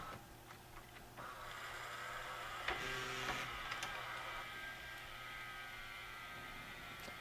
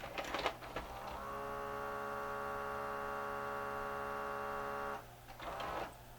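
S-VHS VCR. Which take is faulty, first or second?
second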